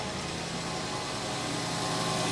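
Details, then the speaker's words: 1999 Mercedes S420 (W140) V8 just after new throttle body installation idles steady and even, no ticking or knocking heard; power steering pump needs fluid and its hose is failing. "can you hear ticking no can you hear no can you hear a power steering pump that needs it needs fluid yes but look at that oh yeah she sounds so good"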